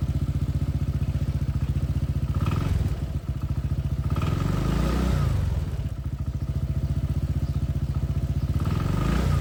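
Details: Honda PCX160 scooter, 2021, over 70,000 km, spark plug cover open: quick, even ticking over the steady single-cylinder idle, keeping pace with the engine; traced to a loose spark plug and its vibrating plug lead, not the pump gear or cam chain tensioner.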